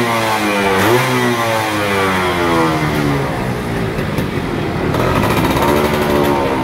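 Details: Yamaha F1ZR 110 two-stroke, stock and original, after replacing the worn-out carburetor that caused bogging and stuttering at full throttle: crisp note climbs cleanly and drops back without stumbling or bogging; revs freely and sounds healthy.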